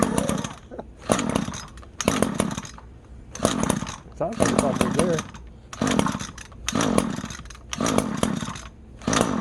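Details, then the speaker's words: Free lawn edger just after a rebuild and new nozzle, primed with fresh gas mixture: short revving bursts about once a second, then drops and pops, not yet steady; owner thinks fuel is still getting into the system. "Gas is still getting in the system, so it'll take a while."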